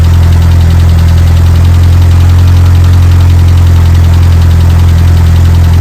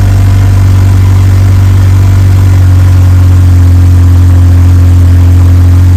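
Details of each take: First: Evo 8 engine swapped into an Evo 6: faint fast even ticking, three or four a second, over steady idle; hydraulic lifters wouldn't pressurize, rocker roller gapped from cam, ticking from roller hitting cam or lifter. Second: Evo 8 4G engine in an Evo 6 after fitting a lifter to remove play, cold start then warmed up: steady even low idle, constant hum, no ticking or knocking; sounds like a normal 4G.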